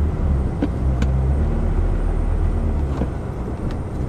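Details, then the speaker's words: Ferrari 360 pulling away after a cold start, after cleaning the MAF sensors to cure hard cold starts and surging revs; a low, even engine drone with no surging or jerking. "no it's smooth so wow that's actually that's actually worked which is amazing"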